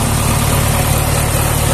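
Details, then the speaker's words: Tractor diesel at steady idle after reassembly and gasket fix: coolant no longer rising in radiator, temperature OK, healthy at 1200 rpm; earlier coolant rose and bubbled after shutdown as compression leaked into cooling system. Even rumble, no knocks, healthy. "No teraz jest wszystko w porządku płyn chłodnicy nie rośnie temperaturę OKE"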